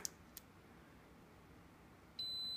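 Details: Neewer flash head with inconsistent misfiring, slave off: single short high-pitched beep about half a second in a quiet room, flash signalling it has recharged and is ready.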